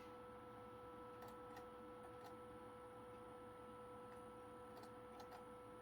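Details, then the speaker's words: PlayStation 2 SCPH-39001 from a salvage lot, after laser adjustment (DVD side left alone), loading a game disc: quiet steady spin whine with light laser-movement ticks; loads normally, laser judged good. "it's loading pretty good actually"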